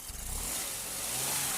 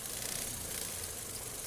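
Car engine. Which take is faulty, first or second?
second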